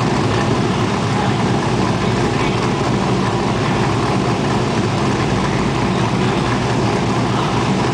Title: 05 Chevy SSR first start after Comp 232/232 .59